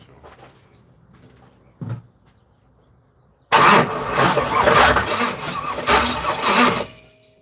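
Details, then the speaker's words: Camaro with a suspected wiring short, cranked with one coil pack unplugged: about three seconds of steady starter cranking with good compression that never fires. There is no start because of no spark from the unplugged coil pack. "Sounds like I got good compression too. You know what would help if I plugged the other coil pack in? That probably would be good."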